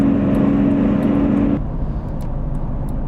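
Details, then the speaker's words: 2007 Jeep Grand Cherokee WK Overland, 5.7 L Hemi V8, at highway speed: steady low humming drone over road noise, worst around 55 mph; later confirmed as a bad bearing present since purchase, and quiet once replaced. "there's a little bit of a drone when you're driving at highway speeds if I switch to the camera audio now you'll probably hear it"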